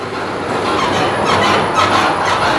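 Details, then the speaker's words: Ford Ranger rear suspension worked on a play-detector machine: rubbing, creaking squeaks rising and falling from the leaf spring pack, plus thumps; the rear wheel hub is also noisy, and the leaf springs are suggested as the first fix. "tem um barulho forte na traseira ou vem característicamente bem aqui do feixe de mola tá eu ponho a mão aqui faz um Olha tem um rangido"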